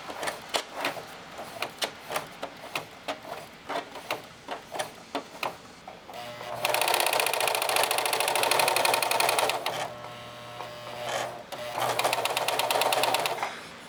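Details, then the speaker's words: Singer 4432 heavy-duty sewing machine after cleaning, oiling and greasing, about ten months of heavy use: slow clicks, then fast busy clatter at full pedal with a faint irregular knock; owner suspects something needs adjustment, unconfirmed. "not sure if there's a bit of a knock here. cuz it always has been a noisy machine anyway."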